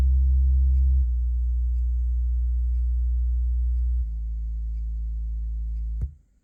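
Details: 65Q8C TV, one woofer at volume 10 of 100: steady low test tones stepping down in pitch, each with a raspy buzz over the note, a rattling woofer even at moderate volume.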